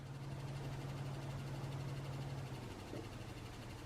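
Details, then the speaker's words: Newly built desktop PC at first power-up: low steady hum that drops away partway, leaving a faint whir; the rear exhaust case fan is making the noise, its LED not lighting, and other fans are noisy too. "okay there's one okay it's the uh it's the exhaust fan that's making that sound okay but the the LED is not working what's going on okay yeah that's making a lot of noise too"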